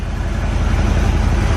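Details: Corvette V8 after tune-up, now fed from its cleaned tank with replaced fuel lines, warming up with good oil pressure: deep, even, smooth idle with no skips; no longer missing.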